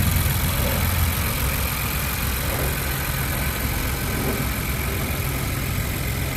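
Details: 2020+ Ford Bronco 2.7L turbo V6 started right after a UPR oil catch can install: even idle with a steady low drone, no ticking or stumbling, a normal idle.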